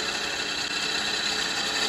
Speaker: now you can hear the chatter because i'm going across all these different types of timbers we're going from different density to different density so that way it doesn't quite cut as clean as if it's the same timber just going the side grain